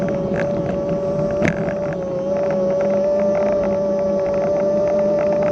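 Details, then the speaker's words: Kugoo S1 Pro electric scooter in third speed mode, riding up a slight grade at about 17-20 mph, camera mounted on front: steady high whine near 600 Hz over wind and road rush; hub motor whines a lot, cause unknown. "be able to hear that motor it whines a lot does a lot of whining"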